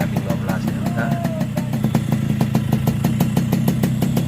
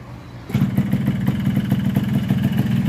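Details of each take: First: Yamaha RX King two-stroke after its over-ported block and head were replaced with new ones. Settles into a steady idle with even popping exhaust beats and no knock or rattle; mechanic believes power is back to 100%. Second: Recently bought Yamaha RX King two-stroke: engine picks up sharply, then runs uneven and rough with no power on climbs. Wrong porting left the exhaust port too wide, so the block and head get replaced; throttle cable also too long.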